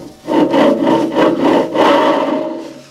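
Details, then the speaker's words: Harbor Freight Central Machinery dust collector motor, previously seized, freed and oiled: rough, scratchy grinding rising and falling as the shaft is turned by hand; front bearing is worn out, to be replaced with SKF bearings. "that bearing is toast"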